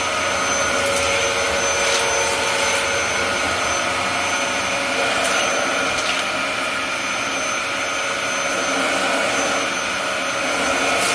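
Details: Dyson DC07 upright (first US Dyson), fitted with a brand-new clutch assembly, running on carpet picking up oatmeal debris: steady high-pitched motor whine with airy rushing, even throughout apart from brief pickup clicks; healthy vacuum running normally.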